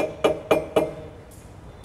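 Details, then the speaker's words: Mini Cooper Convertible with aftermarket sports exhaust: sharp metallic clunks, three about a quarter-second apart then another, as the exhaust pipe strikes the body brace underneath; noise owner thought was suspension. "सो जैसा suspect किया था वही है main आवाज़। ये silencer की pipe है, ये यहाँ मेटल पे टच हो रही है।"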